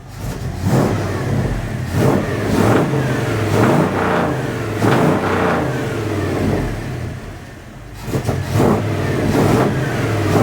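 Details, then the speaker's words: 1980 Dodge W200 with 5.9L Magnum V8 and Holley 600 cfm carb, restarted after timing set to about 12–13° and vacuum advance fitted: quick blips snapping up and dropping back cleanly, crisp and eager, no misfire; idle slightly high. "dang she's she's spicy she's definitely spicy holy cow dang bro"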